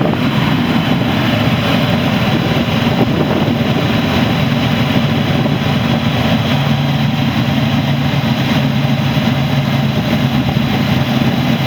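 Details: 1985 Buick Grand National (turbo V6): a steady, even low rumble with no knocks, misses or hunting, and good vacuum. A smooth, healthy cold idle.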